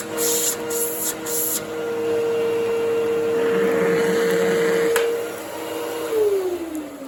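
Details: 1997 Fantom Fury 10 amp vacuum cleaner, 25 years old, on highest setting over carpet: strong steady motor whine with lots of rushing air through machine and hose, then smooth spin-down; runs very nicely, healthy motor.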